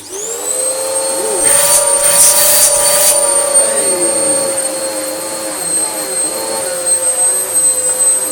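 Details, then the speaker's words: Vax Power U84-M1-BE upright vacuum after motor repair, previously sounding about to blow up: steady even motor whine with high fan hiss, no wobble or rattle; normal running, repair a success. "think we can call that a success. It's still a horrible machine to use, but it does work."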